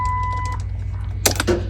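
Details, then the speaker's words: 1975 International crew cab body on a 2007 Dodge Ram diesel chassis, in cold weather; dash chime, then one or two sharp starter solenoid clicks with no cranking; gauges come alive, battery reads about 13–14 volts, owner suspects it may be slightly low. "I can hear that solenoid kicking,"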